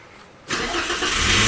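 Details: Toyota Avanza after fuel pump replacement, battery reconnected and pump primed; a quiet stretch, then the engine catches at once and runs up to a steady, even note with no stumble or misfire, starting normally.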